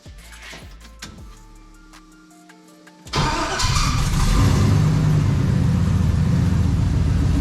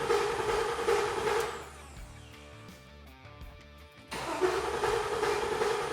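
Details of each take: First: LQ4 6.0 V8 freshly swapped into an International Scout Traveler: after a short lead-in it fires and settles into a deep, even rumble; an earlier lifter tick has pumped up and gone quiet, good oil pressure; healthy idle. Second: LQ4 6.0L V8 with 4L80E swapped into an International Scout Traveler, first crank after fluid fill with injectors and ignition disabled to build oil pressure. Steady high whirring grind, short break, no firing. Abnormal cranking noise; owner hopes it's just the starter.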